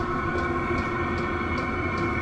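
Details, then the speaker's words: Vevor 8kW diesel air heater in Kawasaki KRX 1000, running without its supplied muffler: loud freight-train combustion roar, faint even pulsing and fan hum, no misfires or surging; burning cleanly, very hot output. "It sounds like a freight train when it's running though. Now the one thing that I don't have on here that came with the Vevor heater is this little guy here, which is a muffler."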